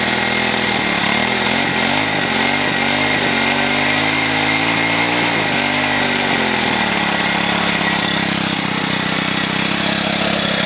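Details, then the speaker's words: Troy-Bilt XP engine after about two months of use: at startup a wavering, high-pitched whine with a dry rattle, the pitch dipping and recovering. It earlier blew white smoke despite a fresh oil change; cause unconfirmed. "after about two months of use it starts to make this like whining rattling noise when i start it up as if it's just it just is ready to kick out on me"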